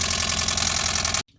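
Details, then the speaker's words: 2017 20ft Airstream Flying Cloud travel trailer water pump after installing an IRVWPC2 pump controller (green light blinking, working): fast harsh rattling chatter for about a second then abrupt cutoff, not pumping; pump chattering, owner considers replacing pump. "Yeah, it's not pumping, but that is the pump making a bunch of different noise."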